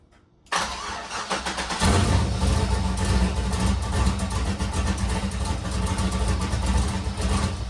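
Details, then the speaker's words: Nissan S13 build after upgrades, alternator now charging and power steering pulley squeak fixed; engine cranks, catches and settles into steady even idle with no belt squeal or chirp; normal idle. "All right, guys, so as you can see from that previous video, the car is running fantastic now. We have the alternator is working, it's charging. There's no more squeaking from the power steering pulley."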